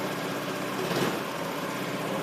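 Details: Honda Lead scooter idling after repair of a badly done earlier job that damaged an engine part and caused a loud noise: quiet, even idle with a steady low hum, no knocking or scraping, running smoothly.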